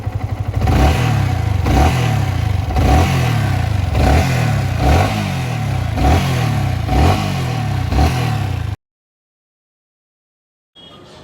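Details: Yamaha R15 V3 engine after valve clearance adjustment (excess clearance had caused knocking/vibration): blipped in quick even pulses then cut off, smooth with no ticking.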